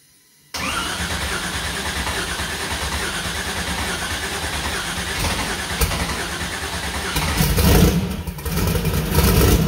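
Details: First start of new 2000+HP LS engine (Dart LS Next block, 4in stroke crank, 4.140 bore, Brodix BR3 heads, .750 lift solid roller cam): brief crank, catches, lumpy loud cam idle with a couple of blips, strong even running; sounds good.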